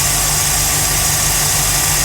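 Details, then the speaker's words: 1969 Mercury Monterey V8 with a Holley 4412 carburetor, new belts and a rewired choke. After a cold start it holds a steady, even idle with a smooth low rumble and no misses or knocks while warming up to temperature. "we're going to let her get up to temp and see as she behaves [Music] so far so good it's cold started"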